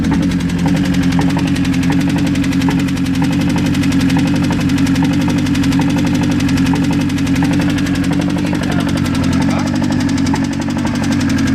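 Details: Mazda engine idling after sitting unused a long time: dull rapid steady knock over the low drone; strange engine noise, cause unknown.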